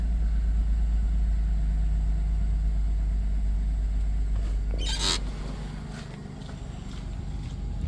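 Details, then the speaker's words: 1997 Dodge Grand Caravan SE, abandoned on a farm 4+ years, restarted the day after engine and used transmission install: deep, smooth, even idle with no knocks or misses; no smoke, oil light out, good exhaust pressure so cat not clogged; normal idle. "no smoke coming out sounds good got pressure so cat's not clogged or anything"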